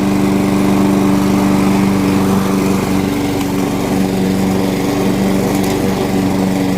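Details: Curb-found Weed Eater walk-behind mower, single-cylinder, flywheel key previously broken by a blade impact: steady even drone at constant speed, no surging, misfire or rattle; runs good.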